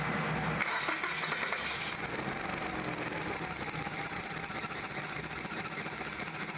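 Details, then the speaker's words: Kia Sephia 1.8L DOHC with a rough-running misfire, engine running with the plug wires exposed. Uneven, stumbling beat with faint sharp snapping ticks as spark leaks and tracks out of the cylinder one plug wire boot. "well we got some spark leaking out of there how about that very interesting"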